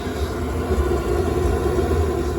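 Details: Rebuilt Webasto EVO diesel heater on a narrowboat, burner previously blocked, running: steady even low roar with soft whirr, no surging or popping, dampness burning off the cladding, coolant temperature rising to 65°; normal operation.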